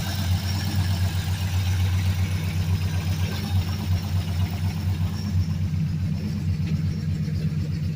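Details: 2003 Mercury Grand Marquis LSE swapped to a built 5.4 3V V8 (11.7:1 compression, Trickflow heads and stage 3 cams, long-tube headers, tuned): deep idle with a dull, uneven knock about four times a second, a rod knock.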